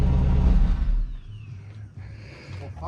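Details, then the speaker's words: Turbo car's first start on day 3 of a Cannonball Run trip in Arizona, after its electrical fault was diagnosed and fixed: engine catches with a loud burst of low rumble, then settles to a quieter steady idle; it starts and runs. "we got us a runner there we go this is Now Now mind you mind your YouTubers this is pre turbo whistle Yuri right there"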